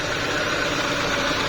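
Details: Renault Clio petrol engine idling evenly and steadily without stumble after fixing a hard morning start caused by wet, cracked spark plugs, oil leaking past valve stem seals into the combustion chamber.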